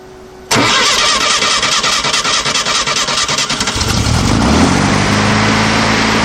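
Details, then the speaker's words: 1968 VW Type-3 Fastback, air-cooled, dual carburetors with new CB Performance hex bar linkage, throttle cable adjusted, after accidental flooding: brief crank, catches quickly and settles into steady even idle; normal start and idle. "return spring on but it fired up pretty easily yeah I think that works pretty well okay it seems like it's idling pretty good to me"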